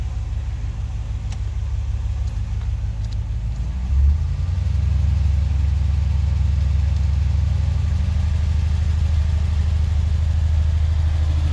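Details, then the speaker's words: Engine idling outside with a laptop data log running: low, deep idle with an uneven, stumbling beat as a cylinder drops out now and then, an audible misfire. "hopefully the sound on that comes through where you can hear the actual misfire"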